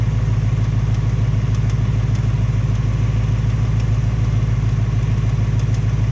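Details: 2018 Ford Mustang GT on its second engine, 1200 miles, steady V8 idle with a faint even light tapping about three per second; tick unconfirmed, piston slap or Coyote tick suspected; Ford putting in a third short block.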